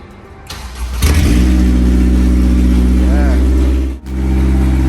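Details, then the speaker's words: Honda S2000 project car, first start after new harness, header disconnected from exhaust with no cat fitted: catches on first turn and settles into a loud, deep, blatting idle because the header is open. "it is currently disconnected the header is disconnected from the exhaust so we do need to put the cat on that's why it's so loud"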